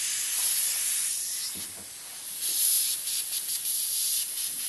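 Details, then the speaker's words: Mr. Heater Big Buddy propane heater being taken apart for oil-clogged fuel lines: a steady, thin, high hiss of gas leaking from a fitting that isn't seated properly. "not on right, so it leaks. No big deal. That fixes that."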